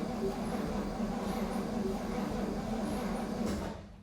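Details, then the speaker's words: 1961 Cadillac DeVille V8, reinstalled after use in a hearse, points cleaned, battery connected, spin test before the distributor cap goes on; steady, even starter spin for about three and a half seconds with no binding; normal cranking. "I got the battery hooked up, and I think I'm going to go ahead and do a little spin test here. Oh, yeah. Spins over"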